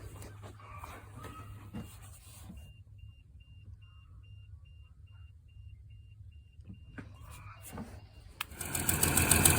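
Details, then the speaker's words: 1991 Toyota Land Cruiser 3FE after new fuel pressure regulator and fuel damper install: steady churning crank about three to four beats a second that never fires; tank was out of fuel, ran after refueling and priming. "Well, it wasn't wanting to start there for a second, but I figured out I was out of fuel."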